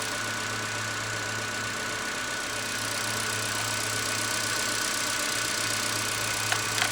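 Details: Ford Fusion idling during a battery test with meter leads attached, charging well; steady, even low hum with no misses, knocks or speed dips; healthy normal idle.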